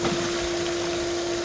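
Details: Pool filter pump running during backwash; smooth, constant motor drone with a fixed tone and water rush behind it, no cavitation or bearing noise. Normal pump operation.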